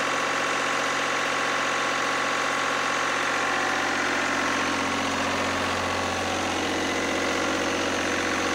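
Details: Lister #2 diesel generator just after fuel system plumbing from a former 20-gallon dry-sump oil tank, leak-check run (no drips): steady diesel clatter at even idle, about three beats a second, no stumbling or misses; running normally.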